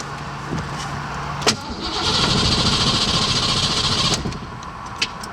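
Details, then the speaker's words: 1987 Ford Mustang notchback 5.0 V8 after parking: starter whirs with uneven cranking pulses for about two seconds but never catches. Owner heard fuel and suspected no spark, but the no-start turned out to be an alternator/weak battery issue. "and it doesn't start I hear fuel but it seems like it's not getting sparked so I don't know what's going on"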